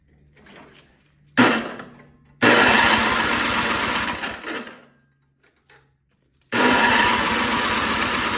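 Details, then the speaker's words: Toro 521 snowblower small engine on full throttle, carburetor just reassembled: fires briefly on starting fluid, dies, fires again; fuel starvation suspected, main jet adjustment screw thought to be turned in too far. "all right the only pop off on starting fluid but it's almost it's acting like it's not getting gas"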